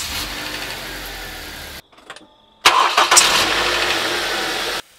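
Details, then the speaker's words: Ford Duratec HE engine about 1,000 km after replacing the accessory belt, idler and tensioner: a sharp squeak at startup. It also knocks at certain revs and loads, and the owner suspects the belt and pulleys rather than the engine internals. "uh it also tends to make a squeak on Startup"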